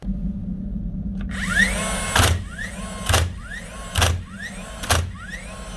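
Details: DeWalt DCN692 cordless nailer after its broken springs were replaced to fix clicking without firing: a short motor whir, then a sharp, crisp firing thump about once a second, each shot even; driving nails normally.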